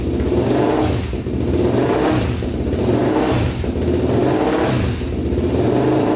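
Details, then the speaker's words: 1999 Honda 400EX quad, single cylinder, rebuilt after stuck piston rings scored the cylinder (honed), run without turbo hooked up: revs pick up and drop back in slow blips under a second apart, clean and even without misfires; normal running. "all right so that starts up that's good"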